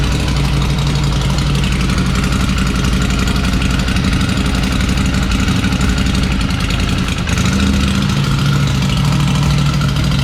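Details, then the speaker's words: Ducati Desert Sled Fasthouse, first start after battery charge: loud deep lumpy idle, slightly uneven with small surge; running rough, owner suspects rich mixture since not tuned after exhaust upgrade. "so we got our first engine start on the books batter's charged up it's running a little rough there's definitely going to need to be something done with the engine"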